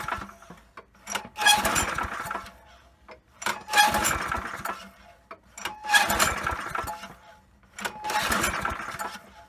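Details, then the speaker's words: Poulan Pro mower with a 190cc Briggs & Stratton engine that had been sitting: primer works, but four pull-start cranks each give a brief whirr with no catch, sputter or smoke. It cranks but won't fire; the spark plug is to be checked next. "okay so it sounds like it's priming really good but it's not even attempting to fire no sputter no smoke coming out"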